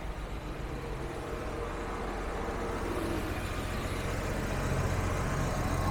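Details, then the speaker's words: Jaguar XJS V12 after injector cleaner: smooth, even rumble firming slightly with held revs, no stumble; not perfect but idling normally on all cylinders. "it's definitely not perfect but it is on all cylinders and you know ejector cleaner does miracles on this thing"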